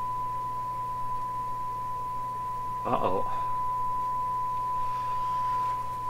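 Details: Canadian Marconi Model 93 radio during shortwave band alignment with a signal generator, five removed capacitors tested first: a pure, steady high whistle over low mains hum with scratchy crackles; a sudden horrible sound, cause unknown, set very insensitive.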